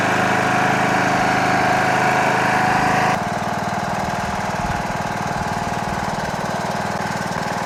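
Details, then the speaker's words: Toro Wheel Horse 1638HXL hydrostatic lawn tractor after finished repair: single-cylinder engine thumps strong and even, dipping slightly under load as it drives off; transmission runs great, normal healthy running. "great tractor runs real nice transmission on this thing runs great really cleaned up nice huh"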